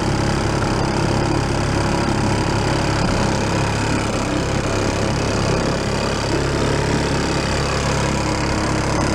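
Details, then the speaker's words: 1937 Sears Water Witch 2.5hp outboard, 83 years old, revived after about 60 years in a shed: steady, even buzzing drone under load on water, no misses or knocks, getting warm; normal running. "it's doing pretty good don't like that hey making some heat now"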